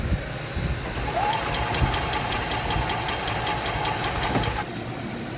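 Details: 2021 EZGO Express L4 EFI crank-no-start under electrical diagnosis of the pedal switch and sensor voltages (Kawasaki 400 EFI schematic sought): the starter turns the engine over steadily with a light ticking, but it never fires.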